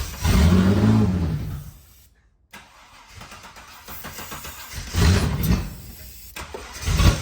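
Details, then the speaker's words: Holden VN Commodore 3.8 V6, sitting for 7 years, first start with no fuel tank fitted, running only on brake cleaner sprayed into the intake, battery on a jump pack: engine fires and revs unevenly in bursts, then a sharp pop; small backfire. "All right, we're in business. Small backfire."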